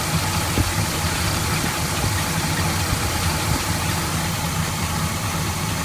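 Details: Rebuilt V8 in a 1981 Chevy K10 with about 5,000 miles since rebuild, after replacing a leaking fuel pump with a Delphi pump: fires and settles into a steady, even idle rumble with no misses or knocking; sounds healthy.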